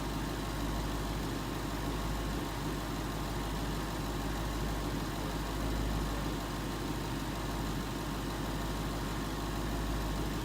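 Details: 2011 Ford Mustang GT 5.0 Coyote V8 with Roush exhaust at first start in an echoey garage, after all eight rod bearings (King CR868SI) and TTY rod bolts were replaced and 5W-30 added: deep, steady, smooth idle rumble; earlier tick and knock gone.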